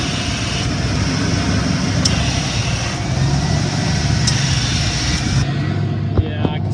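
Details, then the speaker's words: 1993 Ford F250, 5.0L 302 V8 at a rough idle, with sharp clicks about every second as the AC compressor clutch engages and disengages. Clutch was replaced and shimmed. Owner suspects a plugged line, a failing compressor, or the accumulator pressure switch; unconfirmed. "because it engages and disengages like ever you later every second it's like on off on off"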